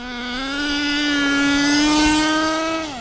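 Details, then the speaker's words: HPI Savage X4.6 nitro RC truck with optional 3-speed transmission at full throttle. Engine screams, pitch climbing steadily with no drop between gears, slight torque blip at the bottom; owner thinks it's in 3rd, engine fine: not shifting. "It runs great, but like there's no gears shifting at all. It's stuck in a gear. And you could hear it kind of like have a little torque blip at the bottom. Motor-wise, it's running great."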